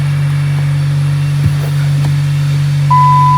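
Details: 2014 Dodge Avenger after installing replacement catalytic converter for P0420 code: steady smooth low hum, even exhaust note, no ticking or rasp; healthy idle, small pipe-joint exhaust leak later fixed.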